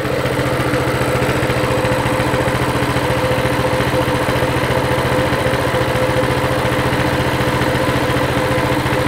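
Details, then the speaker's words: Mini bike with non-adjustable carburetor that took off on starting, idle being adjusted, throttle return spring off: steady single-cylinder putter, no hunting or misfire, idle around 1750–1900 rpm, sounds better. "still a little high i can tell already yeah we're at 1900 that sounds better"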